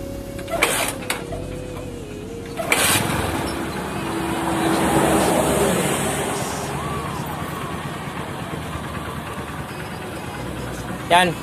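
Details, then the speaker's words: Honda Supremo TMX150 motorcycle, previously misfiring and not revving, after carburetor, air cleaner and spark plug cleaning: engine catches and settles into a steady, even idle without misfiring. "Okay na mga idol hindi na si palyado ayan ah"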